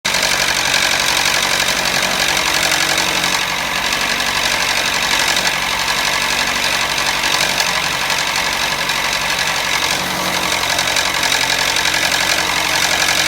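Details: Toyota Matrix at idle completely out of oil from a leaking gasket: harsh, fast, fairly even metallic rattle; car also stalled when braking. Oil starvation rattle.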